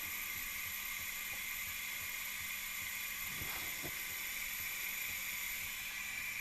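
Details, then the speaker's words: 2010 Duramax LMM with new CP3 and low rail pressure, engine off, charge-air system pressurized to about 20-25 psi after the turbo at the hot-side intercooler tube: constant high airy hiss from below, a boost leak at the EGR valve; fix is removing or replacing it. "if you listen close on that beam here it but we've got a hiss coming from down below and we've already looked at this and determined this hiss is coming from the EGR valve"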